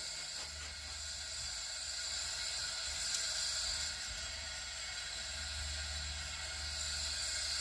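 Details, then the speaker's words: Honda Prelude 2.2L cylinder leakdown test, engine stopped, at about 75 psi: a steady high-pitched air hiss heard at the dipstick tube; suspected leakage past the piston rings or valve guides, not confirmed. "I can see it I can hear it from the from the dipstick tube too so stick my ear on the dipstick tube so I could hear the air coming out from up here from the from the guides and I could hear a little bit of air coming from the tube"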